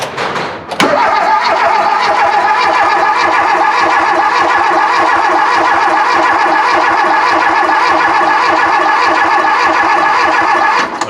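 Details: Volvo 340 abandoned for 25 years, newly fitted eBay part on fresh poly mounts: a click, then about ten seconds of steady, even cranking at roughly three and a half turns a second with no firing; the starter now works.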